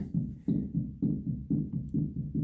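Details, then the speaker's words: Rear differential, type 188K, from a 2000 BMW E46 330Ci, possibly original with high kilometers, turned by hand: a gritty, rough rumble in even pulses about twice a second. Rough rotation noise, cause not yet found. "Maybe I should also open it.. should it sound like this."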